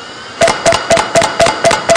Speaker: a head that clunks and you have a head that clicks and I'm serious when I say this like you guys have probably heard click click click and you've heard clunk clunk clunk clunk right that is probably a bad head